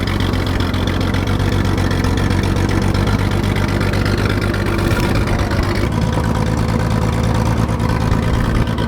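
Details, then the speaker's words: 1944 Chevy Blitz WW2 army truck, unused for about 30 years: loud, rough low rumble, steady at first then uneven near the end, spluttering off as it runs out of petrol. "but the reason that's so loud is there's no fuel in it and it spluttered out i thought i killed it but it just splotted off"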